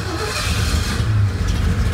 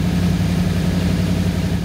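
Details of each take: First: 1985 Ford Bronco with mechanical fuel pump, fuel seen bubbling up: engine labours and sputters, nearly dies, then catches and settles; slow fuel delivery makes it hard to start. The air filter caught fire afterward, likely from a backfire. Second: 1985 Ford Bronco V8 revived from unknown condition, after new spark plugs installed, before timing check; deep even burble at brisk idle, smooth regular firing, no stumble; normal idle.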